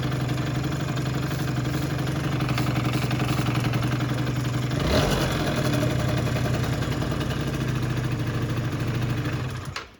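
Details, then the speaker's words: Yamaha Jog two-stroke scooter on an about-85 main jet, tuned for the stock airbox before the pod filter is fitted: a steady idle with even popping and a short rev blip, then it settles back smoothly, running healthy. "So once the pod filter gets here, we'll tune for that, but this thing runs great. Start it up."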